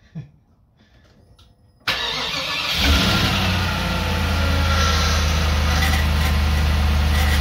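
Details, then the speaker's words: Freshly rebuilt Land Rover Discovery 2 Rover V8 4.0L, first start: it catches after a short crank and settles to a loud, harsh idle with a coarse groan from the power steering pump. The pump had been cleaned and reassembled with a new gasket and was empty of fluid, leaving air in the system. "there was a horrendous sign you i'm sure you heard it and you could see me looking down in that direction that was the power steering pump"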